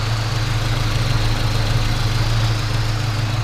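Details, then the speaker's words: 1971 Dodge-Mitsubishi Galant Colt with original Saturn engine, fairly cold start: starts easily and settles into a steady low, even idle with smooth firing beat, no knocks or misses, no smoke; healthy idle. "so let's go ahead and start it up you can hear it run that just starts pretty easy you know runs really smooth"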